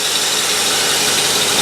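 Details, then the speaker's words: 1968 Ford Galaxie 500 V8 with Holley carburetor, distributor rotated to correct ignition timing that was off by more than a couple of degrees: steady, even idle with no misses, slightly higher rpm; runs as it should now. "wow you can really hear the difference in the engine it sounds the way it's supposed to"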